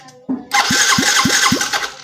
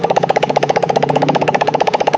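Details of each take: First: Yamaha Mio J fuel-injected scooter cranking on the starter at about four beats a second but never firing. There is no ignition spark while the fuel pump hums. The owner had wrongly blamed and replaced the coil; the real cause is a faulty pulser coil. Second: Yamaha Mio J fuel-injected scooter with no ignition but a humming fuel pump, after swapping in a replacement pulser (not the correct part): steady, even putter, about three beats a second, then shuts off; fault was the damaged pulser.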